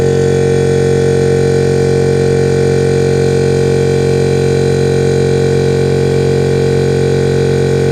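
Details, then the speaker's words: Air compressor on a newly fitted soft-start SSR relay, charging the tank; steady, even motor hum with constant pump drone and no knocking or rattle. "So for now, I'll record myself inflating the compressor."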